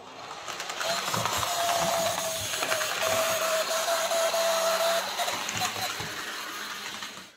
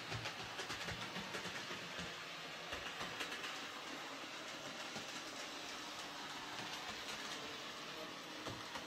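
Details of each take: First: Hornby J36 model locomotive, bought new earlier in the year and unused for months, after running a while: a thin, steady high squeal over the whirring mechanism for several seconds, the same in reverse. Motor screeching, likely lack of lubrication. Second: Hornby J36 model locomotive, previously screeching, after adding gear oil mixed with white grease to the worm gear: even whirr with light rail clicks and no screech; lubrication fixed it, runs quietly and smoothly.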